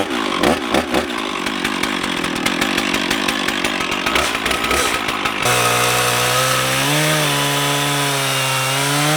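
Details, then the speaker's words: Stihl 044 Magnum two-stroke chainsaw, 20-inch Oregon bar, revived after sitting many years, freshly sharpened chain; screams at high revs, dips slightly biting into small wood, holds a clean steady tone. Normal running under cutting load. "I'm super psyched about this saw. This thing rips."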